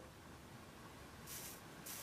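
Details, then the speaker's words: Four-channel amplifier from a 2004 Volvo XC70 that was submerged in water while running and caught fire, powered and enabled on the bench: soft crackling sizzle with bright bursts and a burning smell; the board is shorted internally and arcing beside a pin. "Can you hear that? I can hear a sizzling. Oh yeah, I can smell that."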